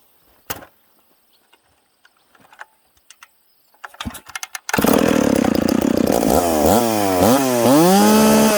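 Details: McCulloch Pro Mac 850 chainsaw fitted with a pipe, cutting two-year-seasoned hard oak; pulling 10,300 rpm in the cut. Healthy two-stroke screams, pitch dipping and recovering under load, crisp and strong. Normal running under load.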